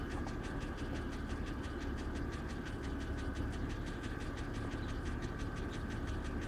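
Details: 2007 BMW X3 at cold start: sharp, even ticks about five per second over the idle, a knock loud enough to hear in the closed cabin. Oil level reads full; cause unknown.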